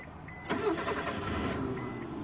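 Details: Mitsubishi Mirage that sat for years with no spark and no fuel pressure: about a second of starter cranking that never fires. No fuel delivered.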